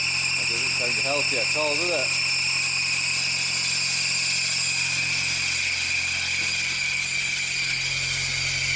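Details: Smart car engine started after a fuel pressure regulator swap (old one refitted): a steady, shrill high-pitched hiss-whine runs throughout; alternator belt suspected slipping and very hot, cutting into something.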